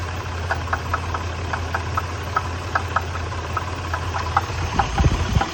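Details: 1993 Nissan Pathfinder at idle: sharp ticking knock about four times a second over a steady idle, clearly audible above the engine hum; engine knock, source not yet pinned down.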